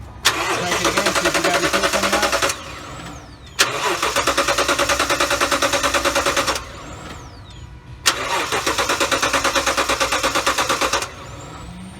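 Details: 2018 Toyota Tundra 5.7 towed in, cranks but no start, gas added first: three long cranking bursts with a steady fast chug that never catches; no fuel delivered because the fuel pump had failed.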